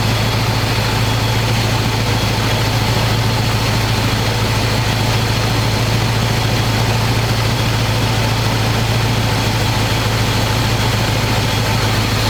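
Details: 1985 square-body 454 big block, 4-speed, sat 20 years, oil and filter changed; after adjusting idle screw that wasn't touching throttle, warm engine idles smooth: deep, loud, steady rumble through open pipes, even firing, no stumble or knock. Normal idle.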